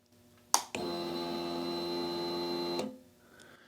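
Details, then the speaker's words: Honda CBR 954RR at key-on: a click, then a steady buzzing whine for about two seconds. This fuel pump priming noise was absent on earlier attempts. "You hear that noise? Well, if you pay attention on when I did it last time, that noise wasn't there."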